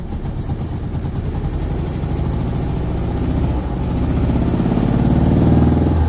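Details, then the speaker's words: Mitsubishi Lancer "itlog" stored for a long time: after it cranked but would not start and the weak battery was replaced, the engine finally starts. It idles unevenly with a stumbling, irregular beat and wandering speed, a misfire at idle; cause not yet confirmed. "mga bossing, umandar yung makina. Palyado siya, palyado. Pero maganda, napaandar natin."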